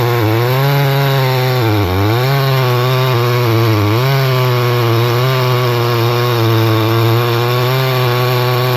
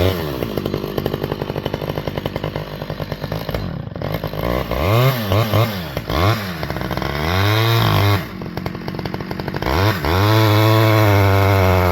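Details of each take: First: Stihl 011AV chainsaw after several repairs, cold day, high side richened, cutting red oak through knots: steady high buzz sags briefly as chain bites knots then recovers; not powerful but cuts without stalling, running fine under load. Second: Repaired Stihl 011AV chainsaw, cold, making a test cut: loud two-stroke buzz whose pitch sags and wavers as the chain bites, struggling; owner plans to add fuel on high-speed carb screw because it's so cold.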